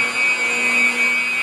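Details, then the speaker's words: Motor running about 1735–1750 rpm, heard through ultrasound after the soft foot was corrected with ten thousandths of shim under a foot and bolted back down: steady even tone with the earlier surging gone; normal running. "the surge is gone okay that was a matter of about 20 minutes we found that we started checking the feet and found the ten thousandths we put ten thousands under bolted it back down and that's the sound we got now"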